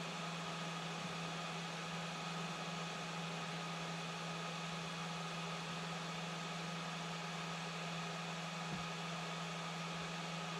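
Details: 3D-printed replacement fan blade fitted to a broken fan, speed adjusted manually from the printer: quiet steady hum with soft airflow hiss, spins fine with good airflow, little rattle, slight imbalance possible; normal fan running after repair.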